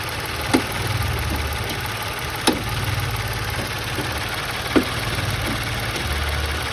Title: Ruido en el motor por soporte flojo. #ruidoenelmotor #automotriz #automobile #motor